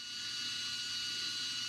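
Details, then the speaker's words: Sky-Watcher HEQ5 Pro mount after axis resistance and backlash tune-up, slewing 360° at rate 9 (fastest) checking for binding: even high-pitched motor whine holding steady, no catches or grinding; drive runs freely, no binding. "And in this case, we can go all the way around. So I'll just take it all the way around 360 degrees and make sure there's no binding. So that seems really good."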